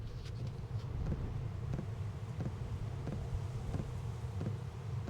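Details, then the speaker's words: Diesel heater mounted on the side of the camper, after modifications to quiet its fuel dosing pump. Faint, regular light ticks about 1.5 per second over a low hum, barely felt on the case and inaudible inside: fuel dosing pump ticking. "Definitely can still hear it. Definitely can still hear it a little tiny bit. Can barely feel it on the case."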